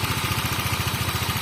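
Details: Honda Vario 125 Techno water-cooled scooter, fully hot after about an hour with the thermostat open and no boiling or seepage: quick, even putter of about fourteen beats a second, steady; healthy idle.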